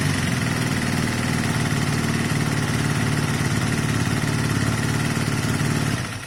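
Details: Honda CB250 Nighthawk café racer twin after engine rebuild with new piston, cylinder and valve stem oil seals; even, settled idle with steady low beat, no tapping or misfires, no longer smoking, owner believes problem solved: normal idle.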